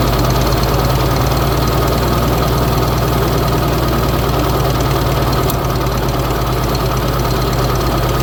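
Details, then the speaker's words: Old Bobcat skid steer, allegedly a 610, not run in about five or six years: lumpy uneven run around two beats a second, almost idling; rough running blamed on the choke lever slamming shut. "goes well the choke definitely chokes that's prob proba what the problem was the whole time the choke lever keeps slamming shut and he's choking it dang it almost wants to idle too"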